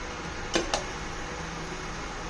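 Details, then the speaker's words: Induction cooktop with a compatible pot on it gives a steady, soft hiss, which shows it is working and heating normally. "don't know if you can hear a hissing sound that's how you know it's working"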